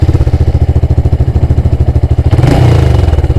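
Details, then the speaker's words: Honda Grom after the erratic idle and rev-limit fault was fixed, run in gear with the brake on. Steady even beat, then it revs cleanly and smoothly past the former 6,500 rpm limit. "Oh, it's miles happier. And revving right through."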